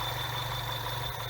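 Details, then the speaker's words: BMW 116/316 petrol engine idling and revved: steady high-pitched whistle like a slipping belt from inside engine, traced to torn PCV valve diaphragm (vacuum leak); cheap easy fix. "e fala galera BMW 116/316 motor assoviando parece Correia certo problema pode dar também nas BMW 320d motores PHP certo"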